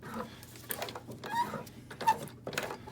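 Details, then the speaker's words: Old sewing machine stitching webbing straps onto Carhartt coveralls, heavy section hand-rolled: slow laboured stitching with short high squeals; top thread not pulling back up tight causes the squealing. "you heard the Machine getting old cranky the top thread did not pull back up tight that's what was causing that squealing"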